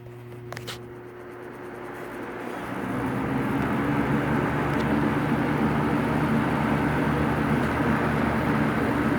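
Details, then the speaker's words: Vintage Superelectric two-speed box fan with a 2.8 A Superior Electric motor (model 2000) started on high: the motor spins up over a couple of seconds into a smooth, steady whoosh with a faint even hum and no rattle or scraping; normal running. "this is a two-speed fan by the way so I'll start with high"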